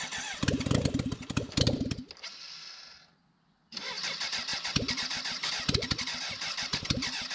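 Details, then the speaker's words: 1991 BMW K100 LT, 987 cc fuel-injected four-cylinder, sat outside about 10 years, first start after head cleaning, new injectors and filter, radiator and muffler off: loud crisp firing, then sharp even unmuffled idle; runs properly, just no silencer. "muffler has to go back on it's really loud it's kind of cool though"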